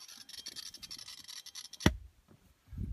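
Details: Parrot MKi9200 hands-free kit in a 2001 Jeep Grand Cherokee Limited with Infinity Gold audio: fast, scratchy squawking static crackle from the rear right speaker during menu browsing and phone use, then cuts off.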